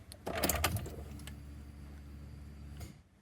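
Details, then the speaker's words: VN Commodore V8 after a fuel tank restoration, new sender and Walbro 460 pump upgrade, at key-on: a steady electric hum for about two seconds that cuts off cleanly, with the regulator audible. A normal tank pump prime. "All right, don't know if you heard that, but I could definitely hear the pump go, and I can hear the regulator doing its thing. So that's good news"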